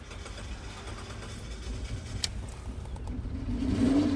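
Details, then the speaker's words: 2003 Kia Sorento crank-no-start after fuel pump replacement, fixed by resetting the tripped inertia switch: engine catches after a brief crank, settles to smooth idle, revs evenly without stumble; starts and runs normally. "and now we have we have grounds coming to the relay and we have the car cranking starts"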